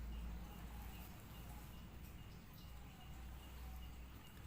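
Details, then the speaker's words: Yamaha Vixion motorcycle running normally at idle: faint high chirping squeak, like a shrew, over steady low engine idle near the fan/radiator area; traced to a failing water pump seal. "selain suara mesin ada kayak suara tikus jadi kayak sebenarnya kayak suara tikus celurut itu ya jadi cacing nyanyi gitu kurang lebih seperti itu"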